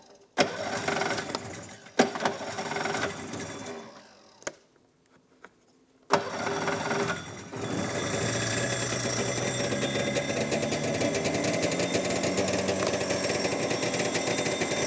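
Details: Two-stroke snowmobile first start after carb cleaning (ultrasonic bath) with fresh fuel: a few recoil pulls, then fires and holds a steady even buzzing idle with no misses; runs well apart from the recoil.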